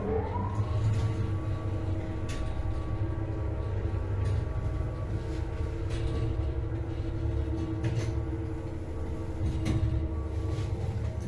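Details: Modernized MLZ elevator, about 1974, 320 kg capacity, 0.71 m/s, AS-72 motor, after motor bearing replacement. Whine rises quickly on acceleration and holds over the motor hum. Whine on acceleration and deceleration is now more pronounced; high and low speed are quieter.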